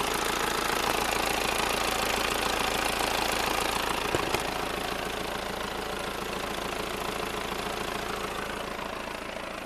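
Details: VW Passat B6 BMP turbodiesel at idle: steady evenly spaced knock three or four times a second over diesel clatter, attributed to the dual-mass flywheel; knocking at idle.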